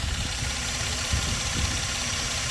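Quiet, steady idle with an even low rumble and no misses or knocks; the engine is running smoothly.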